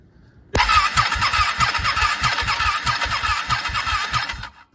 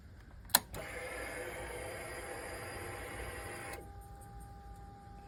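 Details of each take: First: Ducati 1199 Panigale that struggled to crank when cold due to corroded starter solenoid terminals; battery lead connected directly to the starter terminal: starter whirs hard, engine spins at a steady chug with no clicking or hesitation, proving the solenoid at fault. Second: Ducati 1199 Panigale, hard starting only when cold, fine warm; starter turns over slowly and unevenly in labored bursts; not the battery but corrosion on the starter solenoid terminals.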